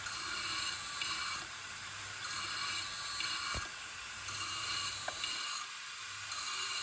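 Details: Old Toshiba 3.5-inch desktop hard drive, lid removed, mechanical failure: sharp clunk about every two seconds over steady spindle hiss as the actuator continuously seeks for data, the click of death.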